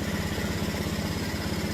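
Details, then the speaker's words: Honda Beat ESP scooter at idle: light single-cylinder putter, slightly uneven; it starts but won't restart after about a minute, fuel pump not humming; CKP sensor replaced, wiring, TPS and injector checked fine, cause not yet found. "Nah, kalau dikontakin lagi ini bisa tapi kurang lebih dari 1 menit ini enggak bisa hidup."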